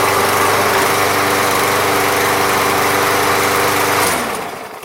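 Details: Briggs & Stratton MTD lawn mower, previously a non-runner, after a Seafoam treatment: steady, even drone for about four seconds, then switched off and spinning down cleanly; running fine.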